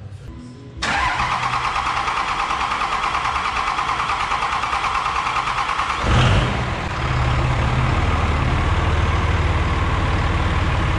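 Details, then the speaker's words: 5.9 Cummins diesel after head gasket replacement (ARP head studs, valve lash set, fuel bled): cranks briefly, catches cleanly, settles into steady even diesel clatter with no misses, no exhaust smoke or leaks; normal start and idle. "She sounds like she's running good. See if there's any smoke coming out of the exhaust."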